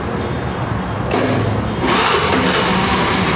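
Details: Honda Beat carburetor scooter after repairing starter that only clicked: short starter whirr, engine catches quickly and settles to a steady run; normal electric start after fix.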